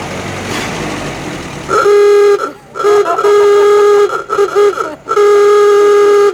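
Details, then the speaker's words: Stock 1930 Ford Model A with 40 horsepower, the classic awooga klaxon horn: several loud, buzzy honks with a nasal rise and fall, each cut short; the horn sounds strong and healthy. "and it's got the classic awooga horn so I got it oh we gotta honk oh speaking of horns can we hear the horn"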